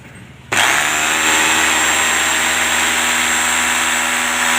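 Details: Rotary hammer drill with its switch bypassed by direct wiring during a switch test, before reassembly: motor jumps straight to a steady, high, even whine and holds speed without cutting out; switch found good.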